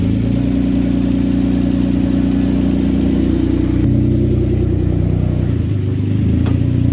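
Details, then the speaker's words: Hyundai Genesis 3.8L after an engine swap: a very loud, raw, rumbling idle with a hard pulsing bark because the exhaust is open ahead of the converter with gaskets off; it is running rich with a fuel smell, and the transmission cooler line needs replacing. "I'm just gonna shut it off, and then we'll put all the exhaust gasket back, and then we'll start it up again, and then we're gonna have to get a brand new cooler line for the transmission."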